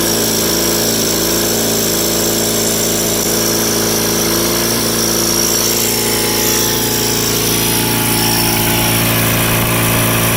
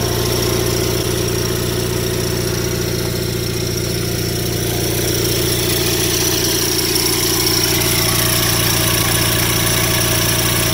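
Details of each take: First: Rare factory-built Cub Cadet garden tractor (one of 83 built), twin engine governed at 3600 rpm wide open: held at top governed speed, steady strong drone, no misses or knocks; running clean and even. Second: Rare factory-built Cub Cadet garden tractor at idle; fast loose rattle about two per second tied to engine rhythm from the PTO clutch counterweight disc flopping, needs tightening; PTO clutch counterweight disc rattle.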